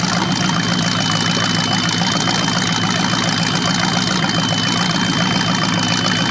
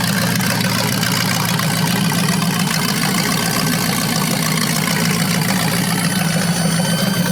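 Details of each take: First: Chevy 350 (3970014 block) from a 1970 Camaro on its first run on an engine run stand: even, steady V8 idle with a smooth rumble and no knocks or misses; running well, though a squeak was heard that was thought to be from the carburetor. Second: 350 small-block V8 (3970014 block, from a 1970 Camaro) on its first run on an engine stand with a 600 CFM carb. Steady idle with a faint thin squeak that seems to come from the carburetor; source not found.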